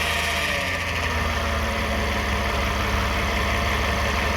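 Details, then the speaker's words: 2009 Toyota Sienna at idle after flex plate bolts and teeth were inspected: constant raspy buzz above the engine note from the transmission area; noise persists, cause not yet found. "The noise is still on. We expect the flex plate is okay, but something wrong."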